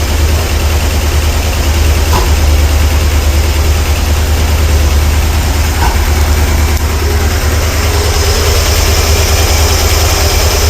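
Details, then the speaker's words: 454 big-block V8, freshly reassembled, timing about 36° total advance, four mufflers fitted: deep steady idle with an occasional sharp pop every few seconds; popping stops once warm until revved; owner unsure whether a bad spark plug or sticking lifter. "that popping I don't know if that is a bad spot bugs or a lifter sticking"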